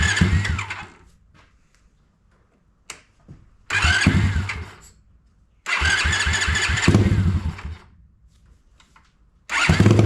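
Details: Honda ATC70 with a Piranha 140cc single, first start after priming oil and switching fuel to reserve: it fires in short bursts and revs cleanly between pauses; sounds pretty good, though the idle may need adjusting.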